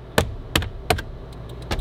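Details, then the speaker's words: Low-mile, roughly 20-year-old Dodge Intrepid after an LED bulb conversion: with a recommended flasher relay, the relay clicks fast, about three a second. Hyperflash began after the last front LED went in, and the owner may need to add a resistor. "no now they're going fast all time uh apparently my flasher is not a fix all solution for LED turn signals so that's cool"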